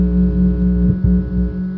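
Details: Ampeg SVT-3 Pro bass amp: steady low hum with higher buzzing tones in the signal, intermittently bad or unnoticeable; owner suspects fan EMI bleeding into the signal, not confirmed.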